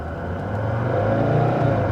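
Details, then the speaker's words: Mercedes S123 300TD automatic with warm oil, under hard 0–80 acceleration after vacuum system repairs. The engine climbs cleanly and the upshifts take up without slip, only slightly late from third to fourth; a normal, healthy shift. "o nice shift watch shifting a little bit late from third to Fourth but other than that it's it's de it's very decent it's very decent"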